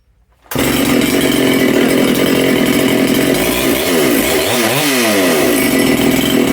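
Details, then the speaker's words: Makita/Dolmar 7900 85cc chainsaw with a 54 mm big-bore top end, carb limiters removed, low jet just retuned, restart test: starts on the pull, runs crisp and steady, and revs up and down cleanly. Normal running. "perfect I'm excited to run that one later she's definitely feels like she's feeling strong"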